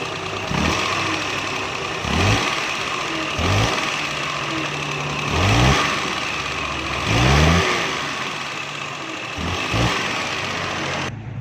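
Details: Suzuki Mehran 796 cc running on gas (CNG) with throttle blips about every second and a half, each rev giving dull thudding backfire bangs; it also smokes while driving, and the cause is found to be a wrongly set ignition points gap.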